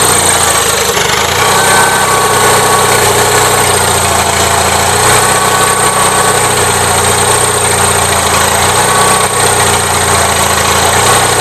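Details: Gravely 450 with Onan CCKA twin idling with a steady busy mechanical clatter after an oil filter change; no change, owner suspects cam bearings as several people told him; abnormal engine noise at idle.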